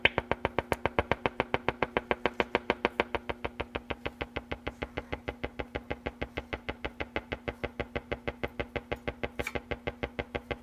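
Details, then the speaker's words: Silvertone 4586 tube radio, just recapped and dim-bulb tested, tuning across the AM band: a sharp, even tick about three times a second over a steady low hum, with no stations received. One 6F6G tube is barely lit; owner unsure if related. "what you're hearing me slowly tuning through the am band this is all the noise i get"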